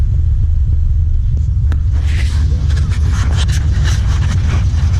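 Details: Cammed V8 truck with upgraded nitrous valve springs, an EGR block-off and a 373 rear end, now running cooler with no overheating: deep, steady low rumble with a mild, even lope at idle, no knocks or ticks; normal idle.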